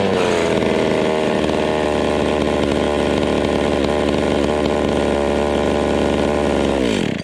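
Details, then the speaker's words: Vintage Stihl 020 top-handle two-stroke chainsaw after plug wire replacement: steady even buzz then abrupt cutout with no sputter, restarts readily; owner suspects bad coil or ignition switch, doubts fuel problem. "See, boom, dead. Yeah, that's weird. I wonder if I got a bad coil. Or maybe a bad ignition switch?"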